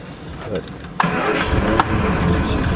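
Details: 1979 Triumph Spitfire, start after reconnecting the fuel system and checking the oil: brief crank, then it catches at once and settles into a smooth, quiet, even idle. Starts and runs healthy.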